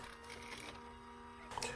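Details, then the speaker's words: White ink mixer motor on an Epson printer converted to DTF, plugged in after the pump was confirmed working: steady low hum of constant pitch, no grinding or knocking, running normally. "The reason I didn't plug in the mixer earlier is because the mixer make lots of noise, so I couldn't tell if the pump is working or not. This is the sound you can hear when you plug in the mixer."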